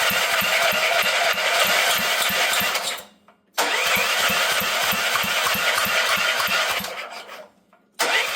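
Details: Auction generator bought with a fully seized motor and water filling the fuel tank, electric key start: steady starter cranking at about three compression pulses a second, pausing twice, never catching. Cranks but won't start.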